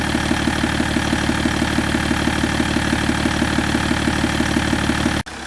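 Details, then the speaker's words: BMW 530d E61 M57D30 3.0 diesel after cylinder head gasket repair and timing chain replacement (a chain guide was found broken). Steady, even idle with regular firing beat, no knocks or rattles: runs smoothly and healthy. "No nii, et see BMW on valmis nüüd, et käivitub ja sõidab ja toimib kõik."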